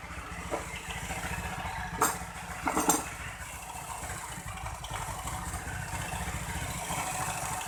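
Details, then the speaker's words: Automatic scooter long stored in a warehouse, hard to start: fast even idle with throttle blips and white smoke; left idling to lift oil from crankcase to cylinder head, worn piston rings suspected, unconfirmed. "Ini kelihatan asap putihnya, nanti dicoba apakah sehernya kena atau gimana. Biarkan hidup stasioner dulu untuk mengangkat oli dari crankcase naik ke silinder head."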